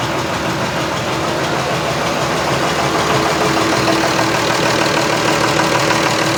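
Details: John Deere 6600 tractor with cab, engine repaired: diesel settles into a steady, even idle with clean rhythmic clatter and no odd knocks; sounds healthy.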